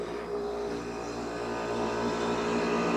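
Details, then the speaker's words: Aircon compressor running during a thermostat-control test, before cold water is applied to the sensor; compressor running continuously would indicate a faulty thermostat. Steady low hum with even fan rush, no rattles or clicking; normal compressor run. "gumagana na yung natin, aircon. Gumagana na yung compressor niya."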